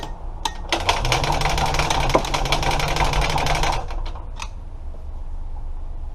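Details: Engine, carburetor not hooked up, ether squirted into the carb opening; starter chugs about four turns a second for roughly three seconds, then stops without catching: cranks but won't fire.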